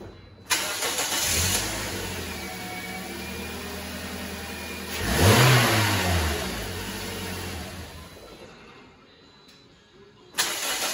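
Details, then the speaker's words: 2010 Toyota Corolla 1.8 L after serpentine belt and water pump replacement; it had screeched and growled from the belt side on morning starts. Now it catches quickly, revs briefly and settles into a smooth, steady idle with no squeal or rattle. "all right we did it we fixed this car"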